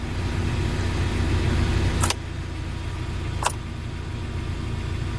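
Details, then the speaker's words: UAZ Patriot with engine idling after heater circulation pump motor was mounted on a rubber damper: steady low even hum, the pump's former drone now barely audible under the engine; normal heater pump operation. "Но с заведенным мотором шумит гораздо меньше. Кстати, с заведенным мотором вот работает все. Оно как-то вообще как-то охеренно получилось. Я как бы практически не слышу мотора."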